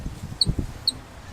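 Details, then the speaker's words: Ford with an E40D transmission, driveshaft worked by hand while binding instead of flopping freely. Three thin chirping squeaks, likely from the double-cardan center ball, which the driveshaft specialist said is not the U-joint. "a little bird sound i've been filling in there and according to my drive shaft guy it's not the u-joint this night this u-joint there is a ball in the middle there"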